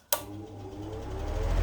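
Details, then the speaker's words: New Usha Farrata 500 mm pedestal fan, motor heard up close: click at switch-on, then a soft low hum building as the motor spins up; quiet, normal motor. "Motor की आवाज़, हल्का सा sound है, motor की आवाज़, motor की आवाज़, और ये आवाज़ गायब, देख सकते हैं।"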